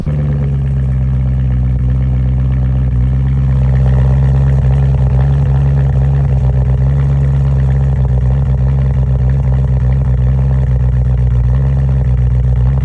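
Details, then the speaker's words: BMW M3 cold start with P2626 code: deep, uneven LS-like chop at idle, beat stumbling instead of smooth; bad passenger-side (right front) pre-cat oxygen sensor. "or it's just chopping like an LS, it's not sounding right, uh most likely you have a bad sensor, oxygen sensor."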